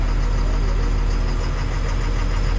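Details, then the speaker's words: Excavator after pipes refitted, slew motor leak repair and rebuild: steady, even diesel drone with no knocks or grinding as the upper swings. Slews as it should, normal. "it's going round where it's wanting to is good"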